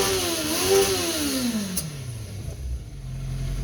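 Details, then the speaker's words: 1970 Honda N600 with motorcycle engine, twin carburetors, double mufflers: engine blips crisply and returns to a smooth steady idle, no flooding, fairly quiet. "anyhow it's revving up its eyes I'm good it's not flooding and it's fairly quiet can't even hear I'm a happy boy"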